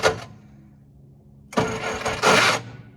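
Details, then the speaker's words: 1966 Jeep CJ5 farm-auction project after clutch linkage adjustment and fuel pump work: a brief click, then about a second of uneven cranking that never fires. The starter's health is doubtful, and whether there is spark is unclear. Cranks but won't start. "the only concern is that starter we just don't know how well that's going to work well it sounds like it did before the fuel pump"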